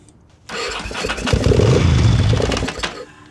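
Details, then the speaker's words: 2000/2001 Ducati Monster 900 with new fuel pump that won't start on its fuel injection: with gas sprayed into the throttle bodies it catches, runs ragged about two seconds, then dies; ignition works, owner suspects frozen or failed injectors. "So, the bike thinks it wants to run for sure. So, there's nothing stopping the ignition."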